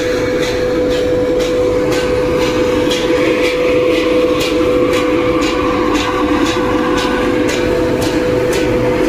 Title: SEAL AIR FAN ABNORMAL SOUND #youtubeshorts #trending #ErSaab